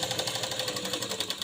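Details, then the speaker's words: Sewing machine stitching before the fix: harsh clatter about twelve stitches a second, suspected lint packed around feed dogs; the fix makes it quieter and run properly. "अगोदरचा आवाज बघा आणि नंतरचा आवाज बघा त्यामध्ये खूप फरक जाणवतो आणि मशीन ही व्यवस्थित चालते आता इथं मशीन बघा खूप अशी आवाज करत"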